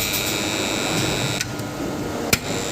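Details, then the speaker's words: BCH DOL motor starter for a 3-phase induction motor working but noisy: loud harsh electrical buzz with sharp high tones and clicks, contactor magnet hum and chatter. "शोर हो रहा है दोस्त आ रहे हैं। बहुतेरे शब्द कर रहा है। काम अच्छी तरह से कर रही है। लेकिन इसमें शोर बहुत ज्यादा है।"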